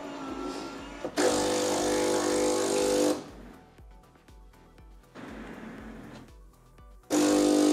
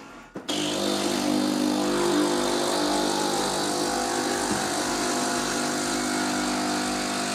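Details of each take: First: Philips LatteGo coffee machine, coffee brewed right after the steam test: steady buzzing pump hum in two bursts with quiet gaps, even and unlabored. The brew pump works normally, though the spout is badly clogged from flavored coffee. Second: Philips LatteGo coffee machine after heating up: loud steady vibrating pump drone with no water flowing; machine does not rinse or brew, only steam comes out.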